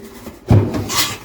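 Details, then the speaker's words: Samsung WD11M4453JW 11 kg washer-dryer: two dull low thumps with a scraping rub between them as the very loose drum is rocked by hand; drum mountings worn through at three points. "ela tá com defeito aqui com com cesto solto soltinho soltinho Vai Girar ele tá bem solto"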